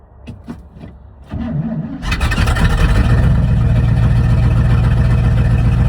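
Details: 1979 Chevrolet C30 after rebuilding the Rochester Quadrajet carburetor: a few slow cranking turns, then fires and settles to an even, steady idle with a deep regular rumble; starts and runs fine.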